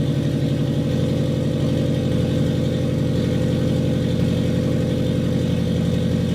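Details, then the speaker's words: Custom turbo FRS, warm after running a while, with the exhaust pipe gasket leak now fixed. Revs up smoothly and drops back to a steady, even idle with no ticking or puffing: normal revving and idle. "all right so we fixed a little bit of an issue that we had um fire it up again rev it up a little it has been running so don't yell at me for thinking it's cold and we're revving it"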